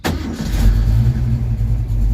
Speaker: which if you saw the last video, you know, now just fires up instantly. So exciting. The Junior's car just hot starts again.